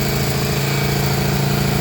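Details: Honda 1200 Goldwing after fixing a no-start caused by an unplugged red connector: smooth, even low hum with a steady beat and no knocks or misses; healthy multi-cylinder idle.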